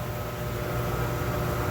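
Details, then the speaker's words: American Standard whirlpool tub model 2425 L/V RHO, newly installed and filled with water, first run of the jet pump with air adjustments: steady, even hum with rushing hiss and faint constant tone, no knocks or surging; normal running. "So anyway, we got some water in here. Let's give her a go. That sounds pretty good."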